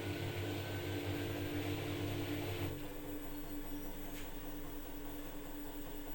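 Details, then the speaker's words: New front-load washing machine that vibrated and was noisy from poor installation, unbalanced with transport bolts left in. After balancing, on spin-only with clothes, a smooth, steady hum eases down partway, with no thumping or walking. Normal, stable spin. "So this is the spin only, and then we the machine is stable, no vibration, because it's well balanced, stable."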